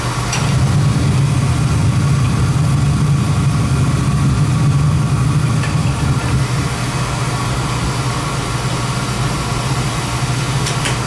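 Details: Oil burner gives a steady low roar with even motor hum, no puffing; firing cleanly. Draw assembly is suspected set too far in.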